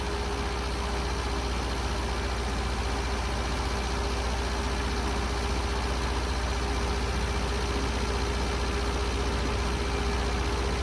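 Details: Long-unused Scamp started with a boost pack on its weak battery; steady, even idle with a regular low beat of about three firing pulses a second, no misses or knocks. Owner suspects it may need a new coil and spark plugs.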